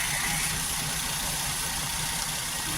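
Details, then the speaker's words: 2013 Maruti WagonR K-series engine after ignition coil replacement; it had run on two cylinders with hunting idle. Now a steady, even idle with no hunting or stumble, all three cylinders firing evenly. "देख रहे होंगे बिल्कुल straight खड़ा है। कोई hunting नहीं है।"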